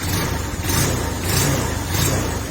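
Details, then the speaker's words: TMX Supremo 150 motorcycle whose tank filled with rainwater, previously dying when throttle opened after cleaning: engine picks up cleanly on each throttle blip and returns without stumbling; throttle response normal after carburetor fix. "Okay so madali na siyang paandarin mga parekoy so Subukan natin siyang i-"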